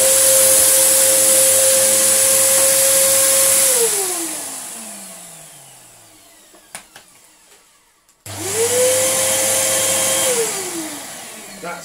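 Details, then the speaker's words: Samsung SU3364 upright 1800 watt vacuum: steady motor whine winding down and spinning back up without load change; airflow path completely clogged, causing pressure to come out elsewhere as an apparent air leak. "this is completely clogged and causing the pressure to come out elsewhere"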